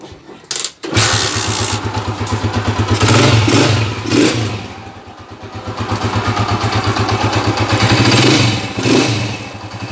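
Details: Honda TMX155 single-cylinder motorcycle after replacing the timing gear that made it rough and tinny; starts and runs with a steady thump, blipped up and down a few times, now running normally.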